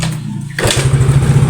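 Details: Yamaha Mio GT scooter, complaint of hard starting and dying on throttle: weak labored starter whir, then catches and idles unevenly with a low lumpy beat before dying; hard starting.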